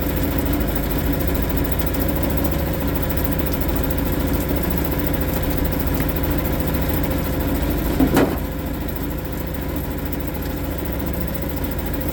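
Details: Suzuki DF 2.5 HP outboard, warm-started without choke in neutral after a no-start blamed on the low-oil sensor; settles into an even, steady idle with no misses or knocks. Sounds healthy.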